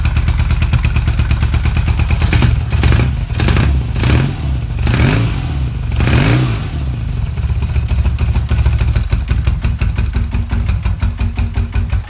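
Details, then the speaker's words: BMW R80 cafe racer boxer twin after drilling the exhaust baffles straight through to tailpipe size; deep, loud, open thump with a few throttle blips, harsh but even; louder exhaust from drilled baffles, kept for now pending road testing. "okay so it is quite actually quite noisy but I like sounds like into a mimic so I think we're going to leave it like that for the time being"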